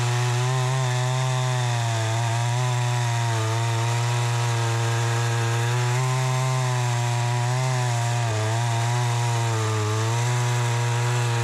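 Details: Troy-Bilt 20" two-stroke chainsaw after carburetor adjustment, cutting wood: a strong, steady high-pitched drone holds speed through the cut with only slight dips under load; it cuts better than ever since new.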